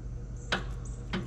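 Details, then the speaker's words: Riding lawnmower with a not-dead battery that intermittently fails to start: two sharp single clicks about half a second apart, no cranking follows; starter solenoid contacts failing. "See, sometimes it'll start and sometimes it just clicks. Click."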